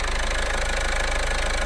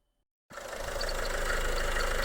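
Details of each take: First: Car engine idling after redoing a dealer's poor job, with new timing belt and water pump fitted, top cover not yet on: smooth, even low hum with no ticks, knocks or belt chirp; normal healthy idle. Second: Engine idling with the alternator belt disconnected after a dealer timing belt job; the owner suspects the water pump. Steady idle with an even whirring rumble and a fast regular tick that persists; bearing noise, source not confirmed.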